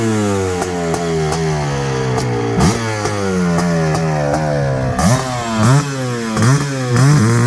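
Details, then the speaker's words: Suzuki LT500R Quadzilla 500cc two-stroke, knockoff Keihin carb, at about 185 during jetting; hard rising rev bursts get blubbery and uneven near the top; breaking up at high rpm, sounded rich, suspected needle/pilot setting. "here where's the bit of like breaking up in the top end yes i did"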